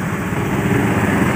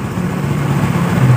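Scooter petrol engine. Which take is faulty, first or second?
second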